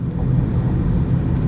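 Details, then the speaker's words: Car cruising with the AC off, in-cabin: steady low hum from worn wheel bearings that still have no play, judged livable for quite some time. "turn the ac off hear that hum and that's the wheel bearings they're worn but they don't have any play in them you can live with that for quite some time"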